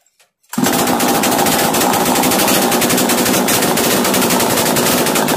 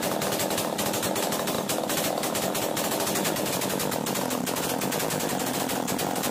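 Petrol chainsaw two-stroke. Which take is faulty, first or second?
first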